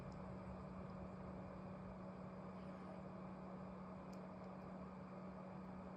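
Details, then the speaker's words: MSI Gungnir 300R PC with all coolers on minimum at desktop idle, case closed, about 55 dB: steady even fan whoosh with faint fixed hum; fans loud even at slowest setting. "55 дбе ви розумієте і це конкретно шумить от просто послухайте ось цей шум"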